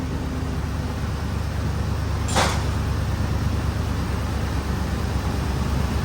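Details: 2005 Ford Explorer 4.6L V8 after EGR replacement, vacuum hoses and connector refitted: deep steady even idle with no vacuum-leak hiss or whistle; sounds normal.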